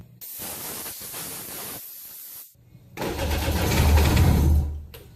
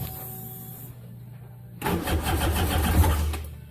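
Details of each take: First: Jet ski started after pulling the plugs and charging: the engine catches after a brief gap, then rises cleanly and evenly with each throttle blip, responding for the first time. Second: Jet ski being flipped, test run out of water before plugs pulled: cranking, then a rough two-second burst of firing that dies back down; it almost catches but won't keep running; hard starting.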